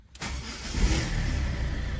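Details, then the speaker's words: Ford Fiesta 1.4 TDCi diesel after heavy maintenance, second start after the immobilizer light goes out: short crank, catches immediately and settles into a steady, even idle without stumble; healthy start. "İsterseniz bu videoyu burada bitirelim. Aracımın çalışması gayet güzel."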